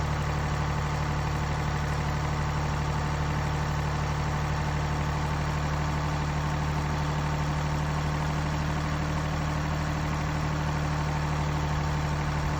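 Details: Mini Cooper D three-cylinder diesel at steady idle: fine, constant rattling chatter underneath from a broken dual mass flywheel, which holds the clutch springs and fails through wear and tear; described symptoms are juddering after lifting the clutch and hissing.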